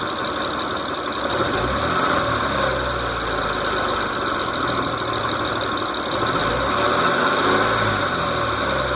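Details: 2006 Mitsubishi Eclipse GT at steady idle with a light, somewhat uneven ticking about four a second; source not yet found.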